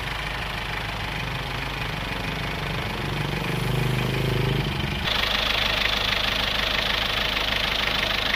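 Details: Isuzu Panther 2.3 diesel after repair: knocking gone and fuel now burning completely, no longer smoky; even idle clatter with no sharp knock, smooth as revs change; healthy idle.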